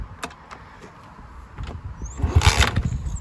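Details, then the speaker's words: Free 110cc Dirt Master pit bike, kicked with fresh fuel, good compression: ragged pops catch briefly then die; it fires but won't start. Carb leaks fuel from bottom, owner suspects running rich; choke broken. "so right now it's sounding like this your kill switch on you can almost hear it it's wanting it's wanting to got good compression there but"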